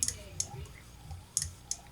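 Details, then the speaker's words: Saito FA-40a four-stroke model engine with no compression, turned by hand: a few light, sharp clicks of the cam followers dropping, normal for a four-stroke. "Russ this sound that's just the sound of the cam followers dropping in in here that's a normal sound for four-stroke engines"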